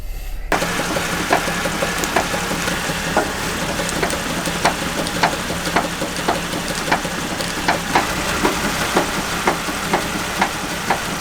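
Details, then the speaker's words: Jeep Wrangler JK idling while steering wheel rocked back and forth: sharp light knocks about twice a second, felt in the wheel; worn drag link with play at the pitman arm side. "e this you can kind of hear something and feel something in the steering wheel kind of make a knocking noise so if you hear something like that it doesn't necessarily mean that you have a bad drag link but you have something that's probably worn out in my case it's the drag link"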